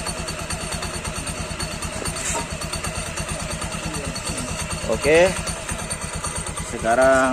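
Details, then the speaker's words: Honda Beat scooter idling after its hard, sticking kick starter was repaired cheaply rather than replaced: a steady single-cylinder tickover with even exhaust pulses and no knocks or rattles. The kick starter is no longer stiff. "masalah motor Beat ini sudah kita selesaikan pada bagian pengkolan itu sudah tidak terasa lagi"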